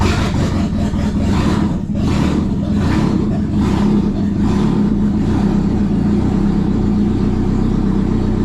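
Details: 1997 Audi A4 B5 after engine install, first startup in service mode: even, steady idle with raspy open-exhaust note, no knocks or misses; normal idle, though earlier it disliked accelerating.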